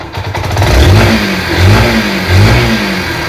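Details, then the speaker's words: Yamaha SZ-R after engine-noise repair: three clean throttle blips rising and falling smoothly, deep even exhaust note, no tapping or rattle; noise now gone. Normal engine revving. "Perfect तरह से हमारा आवाज जा चुका है एकदम perfect तरह से हो गया इंजन"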